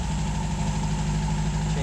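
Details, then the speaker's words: 1951 MG TD back home after a hot drive, treated for vapor lock with a heat shield, cleaned carbs and ethanol-free gasoline; a low, even idle that holds steady with no stumbles or misses. Normal warm idle. "just arrived home and she's still running great that seems to have done the trick the heat shield and cleaning out the carbs real good"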